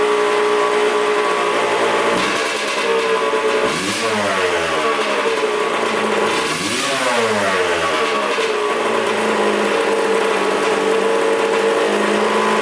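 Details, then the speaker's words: 1989 Kawasaki KX125 two-stroke, carburettor being tuned (oil/air and idle screws): crisp crackle climbs through two sharp revs then settles to a busy, thin, slightly hunting idle; sounds lean, suspected, to be corrected via idle screw. "what we're doing is listening for a lean sound and then if it's too lean we're gonna adjust that idle screw"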